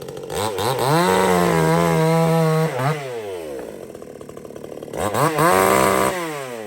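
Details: Supmix 54cc clone chainsaw (sold as 55cc), not run for 2 months, cutting: engine screams at full revs, holds steady pitch without bogging, then revs freely; runs strong, though chain loosens and oiler is slow to kick in.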